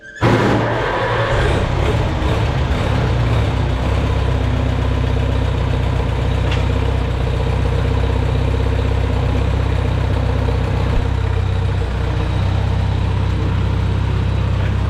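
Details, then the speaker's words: Farmall Super A antique tractor started after tightening a loose spark plug: engine catches at once, then a steady low four-cylinder chug with only slight unevenness; running a lot better, normal running. "Running a lot better. Running a lot better since I tightened up that spark plug."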